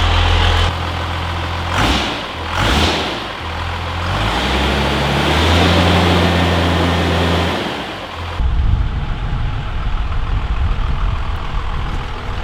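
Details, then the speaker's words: 12V Cummins diesel truck, first start after swapping to an upgraded Stage 2 cylinder head with upgraded valve springs and a valve set job: deep even clatter revs up and settles to steady idle, no misses or knocks, no exhaust smoke; running healthy. "Sounds good. It's running pretty good. The valve set job is all right."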